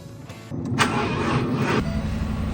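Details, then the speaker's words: 2019 Ford F250 Super Duty not wanting to start, battery very weak, about 10.5 volts not running: brief sluggish cranking that never fires and dies off; weak crank, no start from low battery. "Charge the battery up. It's very weak."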